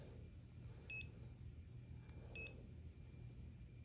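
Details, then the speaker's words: TESMEN TSM-192 multimeter non-contact voltage detector held near a live extension cord: two brief faint high chirps about 1.5 seconds apart over low hum, normal sensitive detection. "And here's a random extension cord on the ground here. You hear it beeping there? And it's very sensitive."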